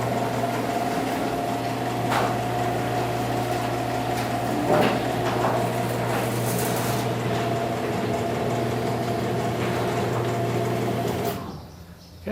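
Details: Garage door after service call, springs had been rubbing tightly on the torsion tube and everything greased: steady, even motor hum with low drone, no squeals or scraping, then a clean stop; runs much quieter.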